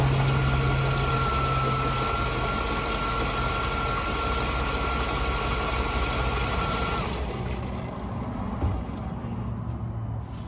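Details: 1998 GMC Sierra SLE after replacing the corroded-terminal weak battery (alternator new a few months earlier): starts and settles into a steady, even idle with low smooth rumble, no misses or knocks; healthy.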